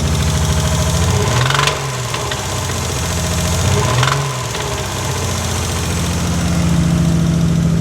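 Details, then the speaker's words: Nissan Skyline R32 sedan engine, loud from prior work, revved a little: rough, loud running with a loose knock about three beats a second that comes and goes; cause unknown until teardown, intermittent engine knock. "So, this is my motor. It's You hear it's got a little bit of a lot of noise to it. That's just due to how it is, but this is the knock that comes and goes."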